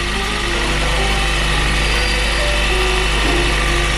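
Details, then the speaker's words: 2022 Honda CR-V Hybrid, 54,000 miles, idling in maintenance mode: uneven stumbling beat with dropped pulses, 49 cylinder 1 misfires that do not appear to follow the swapped spark plug (aftermarket Autolite plug found); coil swap next to test. "definitely a misfire going on H uh-oh cylinder one a 49 misfires interesting does not appear to be following the spark plug"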